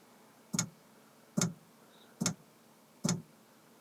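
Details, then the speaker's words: Planar/Autoterm diesel heater first run in a campervan: sharp, loud ticks a little over once a second, speeding up, from the fuel dosing pump, amplified by the surface it is mounted on; pump working normally. "it turns out already mounting the pump on the side of this is a terrible idea is it's simply acting as a giant amplifier for the ticking but hey the pump is pumping"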